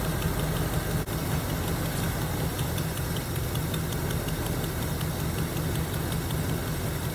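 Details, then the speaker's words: 1977 Chevy Camaro 305 V8 parked almost 20 years, first idle after revival: steady idle with faint even light tick at engine speed, one noisy lifter, possibly starting to free up. "she's a runner man this is her and other than that one lifter sure I don't know if you can hear that it's consistent though"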